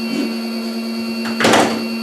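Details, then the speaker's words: 12-pole brushless motor running slowly on a controller programmed for 8 poles: steady buzzing whine with high thin tones; wrong phase and timing cost torque, and the noise would vanish with the correct pole setting. "But this one starts by itself because this is a 12 pole, and the controller is only programmed for an 8 pole. So that's why we're not turning as good, and we don't have the torque and stuff like that. But and it's noisy."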